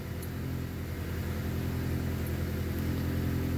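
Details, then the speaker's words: Car after starter motor removed and refitted over a cold-weather starter noise: catches at once into steady even low rumble, no grinding or whirring from the starter; healthy start. "et elle démarre en quart de tour comme avant quand il fait au-dessus de 5 degrés"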